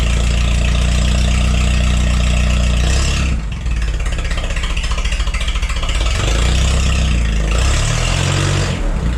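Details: Forklift engine after replacing the bad spark plug: deep even note, revs up and drops back cleanly with no misfire or stumble; misfire fixed.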